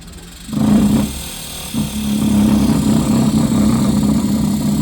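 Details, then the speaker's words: New zero-meter 11C+ DC inverter compressor run on test before being cut open. It starts with a loud, rough, rattly hum that stays harsh; the internal mount spring had slipped off its seat and got stuck at the side. "देखें, ये आवाज़ आ रहा है इसके अंदर, ये स्प्रिंग से उतर गया है।"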